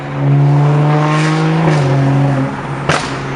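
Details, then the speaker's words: BMW M235i after new ignition coils and spark plugs fixed misfire at peak boost: strong even pull, steady low drone rising through revs, no stumble; normal acceleration under load. "I think it's good, bro. It's not misfiring at peak boost anymore. Should be good."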